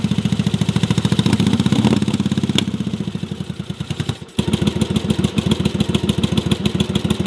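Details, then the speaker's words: Yamaha Virago twin during cafe racer project: uneven lumpy idle about three beats a second, second cylinder only occasionally firing then popping, bike louder when it fires; misfire on one cylinder. "can't tell, that's only a single cylinder. The second cylinder occasionally fires. You can hear it firing, the bike gets louder, and then you can hear the popping, which is the cylinder not working."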